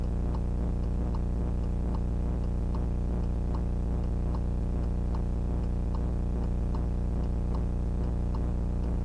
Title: VIOFO A119S Very Loud Noise on the Footage